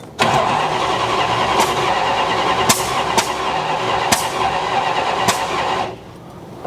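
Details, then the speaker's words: 1969 Dodge Coronet 340 V8 cranking with Dr Pepper poured in the carb; five sharp irregular pops without firing, spark popping out of the carburetor; suspected timing 180° out or wrong firing order. "That sounds like it's like 180 out. All right. Well, we definitely got spark popping out of the carburetor left and right."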